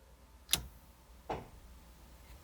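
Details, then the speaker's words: One-ton-swapped Jeep Cherokee XJ, cabin, while testing newly mounted air locker solenoids and switches: two sharp, separate clicks as the rear air locker engages, a normal solenoid click. "I think I don't know if you guys can hear that clicking. That's definitely the rear."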